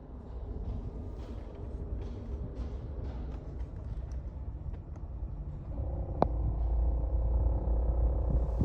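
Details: Suzuki car engine bay: an even engine rumble turns into a heavier, louder low drone once the AC is switched on. Noise from the engine compartment with the AC on, cause unclear.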